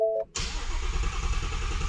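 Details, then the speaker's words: Shelby GT350 after oil pump gear upgrade (front cover removed, engine dry) and Gen 5 Whipple supercharger install, new tune: pedal floored, starter cranks with a steady low drone, no firing, priming oil; cranking without start. "Now I believe I have to put the pedal to the floor and crank it like 5-6 times just so it primes the oil, because remember I did take the front cover off and replace the oil pump gear, so everything is dry at the moment."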